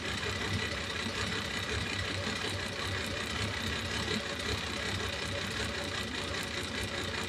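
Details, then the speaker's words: Ferrari 365 GTB/4 Daytona Spider V12 at idle: lumpy, uneven beat with a hollow stumble in the firing, the rear cylinder on one bank not working again on reused, rescued spark plugs, number two also suspect; cylinder misfire at idle. "so on this side the back one is not working again"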